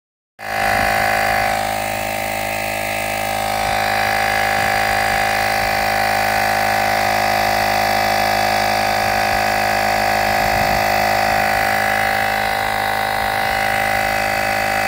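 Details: Aliexpress tire pump sold as 40 dB: starts abruptly into a steady, loud buzzing drone with a high whine on top. Far noisier than claimed.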